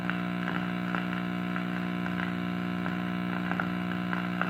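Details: Early-1940s Trutone D1203 transformerless radio on test: steady low hum with a faint buzzy edge and scattered crackles as it warms up; crackling suspected from a shorting tuning capacitor; mains hum.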